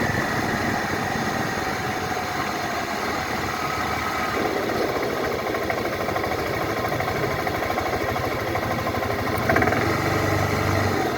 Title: 2012 Suzuki Burgman knocking sound under acceleration, just sound , no video